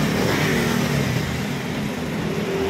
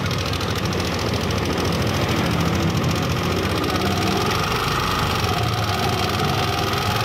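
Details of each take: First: Yamaha NMAX 155 at 77,000 km running smoothly with no valve tapping after its first tune-up, having been noisy from excess valve clearance; chain tension was good. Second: Yamaha NMAX 155 at about 77,000 after long rides: fast light ticking clatter over the idle hum; valve clearance found loose and noisy versus the standard spec.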